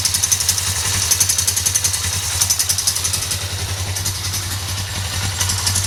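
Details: 2008 Suzuki GS500 idling: light, quick, sharp ticking a few times a second, appearing after the valve shims were replaced; the throttle also hangs slightly despite lubed, adjusted cables; cause not yet found.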